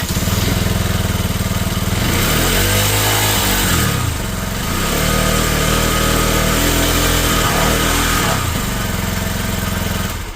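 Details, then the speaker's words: Lexmoto Isca 125 single-cylinder after fuel pump fix: putters evenly, picks up cleanly through a few blips and settles without stumbling. Normal running; now restarts hot. Owner believes the cause was fuel starvation, not the throttle position sensor, pending a road test. "everything about this is fine it starts it stops it runs it rides"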